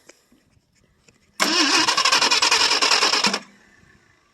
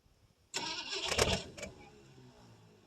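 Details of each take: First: 1968 Ford LTD 390 FE two-barrel, off the road since 1999, cold start on fuel poured into the carburettor: catches quickly, runs about two seconds with steady, even firing, then dies once the fuel is used up; sounds healthy. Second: 1968 Ford LTD 390 FE V8 with a 2-barrel carb, off the road since 1999, on a cold start: it cranks a few uneven turns on a fresh battery with gas poured down the carb but never catches. The accelerator pump may not work.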